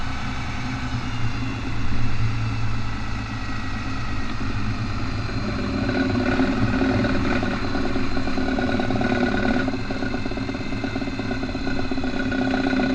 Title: Ratchet noise when turning in 4x4